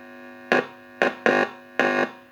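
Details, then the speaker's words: Heathkit T-3 vintage signal tracer, warmed up, before safety modifications, original probe without ground: four short bursts of loud buzzing mains hum cutting in and out through its speaker as the probe picks up hum. "Let's wait a bit for it to warm up. And here's the hum for the probe."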